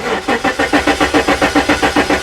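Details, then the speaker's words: 1994 Jaguar XJ6, stored for months, crank-no-start, spark tester on plug one: steady starter cranking at about seven even compression beats per second with no firing, coil test light not flashing; crank no start, no spark. "it's not flashing I've got no spark"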